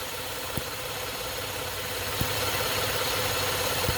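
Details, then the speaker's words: 2013 Chevrolet Impala with check engine light and misfire after refueling, EVAP purge codes, engine idling: fast light ticking and sharp popping suction at the vent tube because the EVAP purge valve is stuck open; the valve was replaced. "yeah you see popping is creating suction so this valve is stuck open"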